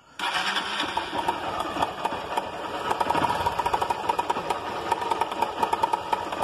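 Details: Honda Titan 160 motorcycle single fires up and idles with a fast, loose metallic clatter, heavy-sounding: cam chain rattling, or possibly worn engine needing a rebuild.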